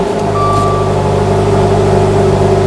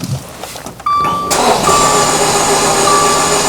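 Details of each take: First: 2015 Dodge Dart 2.4L with an intermittent no-start despite a new starter and battery; engine catches at once and settles into a smooth, even idle; suspected cause is a bad fuse connection, terminals to be drag-tested. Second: 2015 Dodge Dart 2.4 L with an intermittent no-start (starter and battery already replaced): the starter spins fast and even with no compression pulses or firing.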